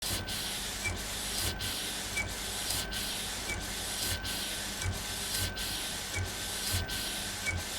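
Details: Epson Stylus Pro 4880 textile printer, first run after repair: smooth, even carriage hiss, a pass every second and a bit, no grinding or clatter; normal printing.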